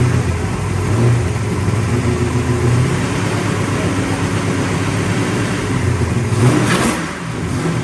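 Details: 1966 Pontiac GTO convertible V8: deep, even revving rising and settling smoothly with throttle, no misfire or stumble; runs healthy.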